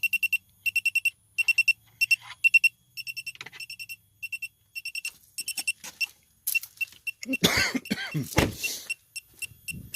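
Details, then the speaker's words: 2017 Chevy Malibu AC leak search; electronic leak detector beeps rapidly in bursts at service valve, suggesting that valve may leak, evaporator leak also suspected but uncertain. "when I depress that valve hear it beeping all the LEDs going off so I'll uh okay there it reset itself"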